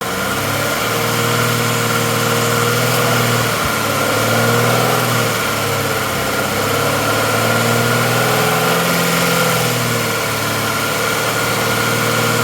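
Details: 2013 Mazda CX-9 at idle: steady engine hum with a faint, uneven popping or clicking about four times a second from the intake manifold area; cause unclear.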